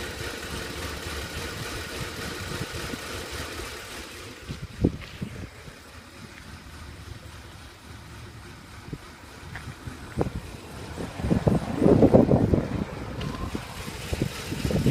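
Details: 2010 Ford F150 5.4 L V8 with stock exhaust idling unevenly, low rumble surging and sagging; rough idle attributed to a malfunctioning canister purge valve.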